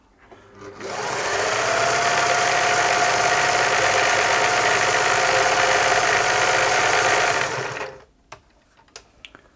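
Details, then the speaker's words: Singer 631G/611G sewing machine, German-made, after foot controller repair, sewing a fancy stitch: fast even needle clatter about 3.5 strokes a second with steady motor hum; good stitch formation, running normally. "There we go, that is, it's a nice little stitch there. It's good looking stitch formation."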